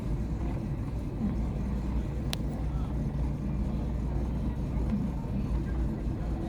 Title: Chevy aveo rough idle